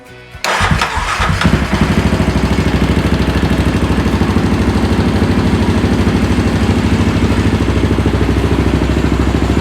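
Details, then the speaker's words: Yamaha Raptor 700R after engine rebuild, first start, battery charged overnight, briefly cranked earlier to cycle coolant and oil: fuel pump audible, short crank, catches at once, even single-cylinder thump with no knocks or ticks; normal start and idle. "So we let the battery charge all night, so it was cranking really good. You can hear the fuel pump."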